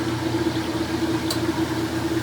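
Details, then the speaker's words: Vintage three-speed heavy Maytag washer stepping up to final spin: steady, even hum settling in as the drum speeds up, no clunking or wobble; healthy spin. "three speed this is when it just plasters the clothes up against the outside of the tub"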